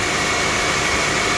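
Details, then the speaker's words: 1997 Toyota Camry with a replacement engine: a steady, even idle hum with a smooth hiss and no knocks or misses. The engine sounds healthy. "Sweet running little engine."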